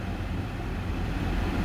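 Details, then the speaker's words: 2009 Chrysler Town and Country, 218,309 miles, settled back to normal idle after cold-start high idle: steady even low rumble with no misses or stumbles; normal smooth idle. "all right we're back down to normal Idols at 218 309."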